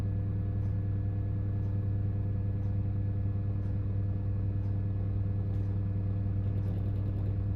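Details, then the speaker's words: Bathroom ceiling fan, microphone held up near it, door shut: steady low mains hum with faint ticks about once a second, some strong, some weak; owner believes data bursts on power lines, not fan imbalance. "there you go again and you hear little weak ones come through as well it's very very strange"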